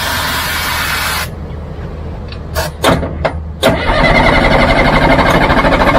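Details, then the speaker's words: Caterpillar logging machine diesel: loud cranking, pause, then sharp pops as it catches and runs roughly only on sprayed starting fluid; starving for fuel. "Let me get you some start fluid. Try the real stuff."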